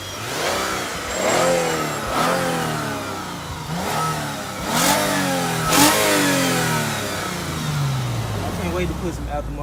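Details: 2006 Lexus IS350 3.5L 2GR-FSE after a rebuild for a passenger-side head gasket, with starter spacing corrected: repeated quick revs rise and fall smoothly, then a steady idle; climbs cleanly with no knocks or misses.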